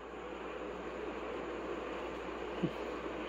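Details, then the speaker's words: Newly installed 110V 12,000 BTU mini split heat pump indoor unit in an enclosed trailer, Turbo mode, cooling: steady even rush of air, no ticking, rubbing or whine; normal fan operation. "it's actually quieter than the little temporary AC that was in there so I'm super super pleased with this already"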